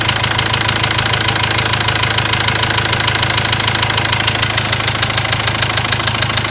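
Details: Ford Transit diesel at steady idle: a sharp, even knock about three times a second. Afterwards a warning light lit, the engine stopped gaining revs, and codes showed high-pressure calibration data, cylinder balance and a leaking injector. Cause not yet pinned down.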